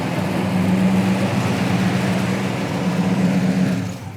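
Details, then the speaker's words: 1985 Monte Carlo SS, numbers-matching 305 V8, automatic with overdrive, 98,458 original miles: an even, steady idle with a low hum and no puffing or ticking before shutdown; no exhaust leak is heard. "Sounds good, doesn't sound like any exhaust leak."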